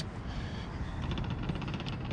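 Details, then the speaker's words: Power seat back on a road-trip inspection car, switch pressed: small electric motor whirs with fast light ticking while seat back doesn't move; stripped drive gear, likely needing whole seat replacement. "you can hear the motor turning, but the seat's not moving. So we've got some gear stripped out of there."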